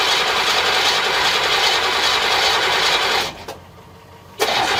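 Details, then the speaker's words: 1963 Chevrolet Impala V8 with some gas in the tank: starter whirs about three seconds, stops, kicks in briefly, never fires; owner suspects it got cut off from fuel, unconfirmed. "but it's still it being started like that and dying out right to me it's like it got cut off of fuel"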